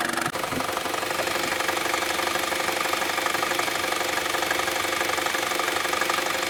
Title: Strange engine Sound Saab 9-3 SS